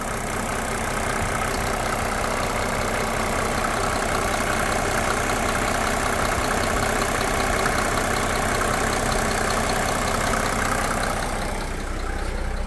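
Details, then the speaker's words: 1987 Mercedes 300SDL W126 OM603 diesel during a diesel purge: even, steady idle with only a soft regular tick; the harsh clatter is gone and it runs smooth and quiet. "Sounds so good. So look how quiet it sounds now."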